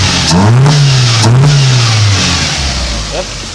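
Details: Toyota Paseo after fixing water in cylinder #1 and refitting the spark plugs and wires: the engine catches and revs up and down smoothly with no misfire, stumble or knock. It is healthy on all cylinders.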